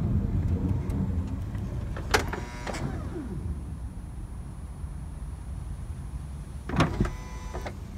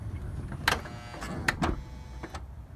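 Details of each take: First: 2006 Honda Odyssey driver-side power sliding door: motor whirs and clunks shut, pulls the door too far in, strains for a few seconds, then releases; the door-open alarm then beeps continuously though the door is closed. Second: 2006 Honda Odyssey driver-side power sliding door after repair: a low motor hum with crisp latch clunks as it closes and catches normally, no longer over-pulling, straining and releasing.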